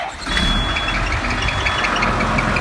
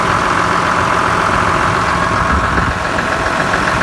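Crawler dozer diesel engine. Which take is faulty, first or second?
first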